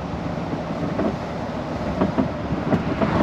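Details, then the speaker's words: ERF EC11 truck with Cummins M11 and Eaton 16-speed, driving POV in cab: dull irregular knocks under steady road and engine drone; worn cab bushes. "you can hear it you can hear the knock of the the cab bushes"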